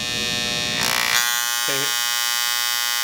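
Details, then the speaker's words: Andis Styliner 2 trimmer, setting power adjustment screw on left side while running: high buzzing hum turns harsher with loose chattering as the screw goes too far left, blade rattles; turn back right until quiet for maximum power. "it starts to rattle, and then you're gonna go back to the right just until you hear it get quiet again."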